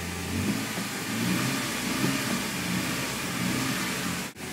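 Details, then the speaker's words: Toyota with rough running and starting, after cleaning the idle air control valve in the throttle body: after a rough, smoky start, even steady engine note with smooth light rev and no stumble or knock; normal idle and rev. "see it's had been pretty rough pretty rough there for a [Music] second and uh smoke I don't know if you can see that I don't know if my neighbors will like that that's okay and uh it's running good"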